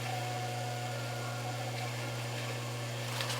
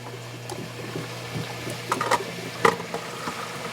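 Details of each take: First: Hot tub circulation pump spinning dry, airlocked and not moving water: steady low hum with a thin, hollow tone and no water churning, heard after powering up during heater/GFCI breaker-trip diagnosis; fix is to stop the pump to let the air out. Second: Hot tub circulation pump after bleeding air by loosening a nut: smooth constant low hum under gurgling flowing water with air being pushed through, no rattle or cavitation; pump now primed and circulating normally.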